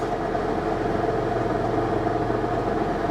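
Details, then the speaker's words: Salvage Lincoln MKX, weak corroded battery, push-button start, at idle in park: steady harsh droning hum with raspy edge that goes away when put in gear; abnormal noise at idle, cause unclear. "doesn't sound good. No, that doesn't sound good at all, does it? Ooh. Okay. Well, put it in gear. Interesting, it goes away when you put it in gear."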